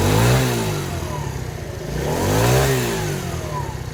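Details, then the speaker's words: TaoTao 50cc Chinese scooter, 3,693 miles, bought as not working, running with cover refitted: buzzes cleanly, rising and falling smoothly through two throttle blips with no misses; normal running and revving. "so this baby besides my fuel gauge so far is it's doing great"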